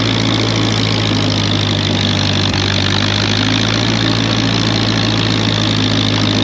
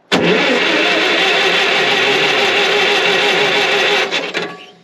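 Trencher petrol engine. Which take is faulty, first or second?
second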